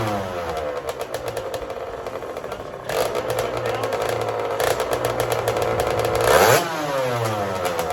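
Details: Custom Honda TRX90 with rebuilt CR85 two-stroke engine, after rejetting from 40 idle/110 main to 45 idle/130 main: buzzy revs rise and fall cleanly without bogging or spitting; jetting now much more spot on, though the head gasket blows shortly after under hard revving.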